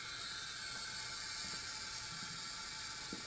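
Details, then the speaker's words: Leak-down test: steady quiet hiss of air heard at the dipstick hole, also audible at oil filler, indicating worn piston rings or cylinder walls, air escaping past worn piston rings. "the dipstick hole is telling me I got bad rings I've got bad cylinder walls you can actually hear it"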